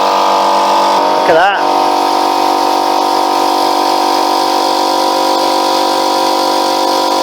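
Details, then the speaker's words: Free Ford air compressor, after a gasket replacement: steady pumping hum, then a sharp hiss as the safety valve blows off for the first time in years; normal running with safety valve blow-off. "tell you what that's the first time that that's blown off like that hasn't it in in years that's better"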